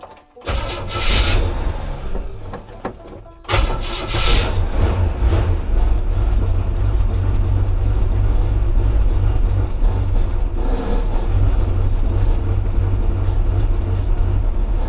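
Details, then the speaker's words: Chevy 283 V8 after the idle was raised about one turn; it cranks, catches and settles into a slow low idle with a light rattle; source not yet found, owner suspects something on the frame, possibly also the earlier fan noise. "she's still a little slow but she's running something's rattling don't there rattling somewhere we the rattling like that it' be easy to find one might be something down on the frame maybe that's part of what that fan noise was and I couldn't hear it"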